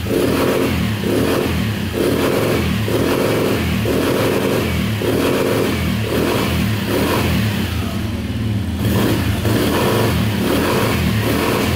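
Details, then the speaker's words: 2010 Polaris Outlaw 90cc ATV after a carb clean, free revving: revs up hard, pulsing on and off about once a second against the rev limiter, running cleanly; still smoking, owner suspects rings stuck after long disuse. "Like a rev limiter on this thing."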